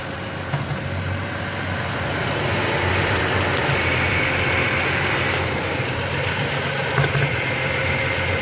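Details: 2016 Toyota Tacoma pickup idling while the steering wheel is turned a little: steady engine hum broken by a few sharp pops and clunks, a popping noise when turning the steering wheel.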